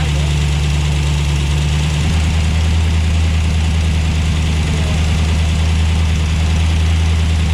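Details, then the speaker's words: Dodge Dart V8 after electronic ignition conversion, cold start on a cold day: deep steady idle, even beat, no clear knock while warming up before timing is set. "yeah they just need to get warmed up too it's really cold"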